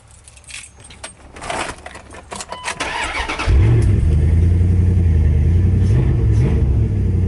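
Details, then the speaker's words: Start after battery reconditioning, 4–5 days later; keys rattle, quick crank catches at once and settles into a steady, even idle; battery holding its charge and cranking strongly; solar maintainer to be fitted anyway; normal start. "Okay, the battery seems to be holding its charge, but I got this solar charger anyway,"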